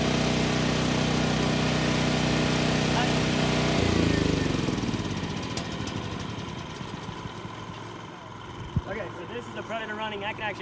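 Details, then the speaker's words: Champion 7500 watt dual fuel generator shut off, leaving only a Predator 3500 inverter generator running: a loud drone dies away after four seconds into a much quieter, smooth, even hum, quiet enough for conversation. "I can actually have a conversation with you guys. Huge comparison."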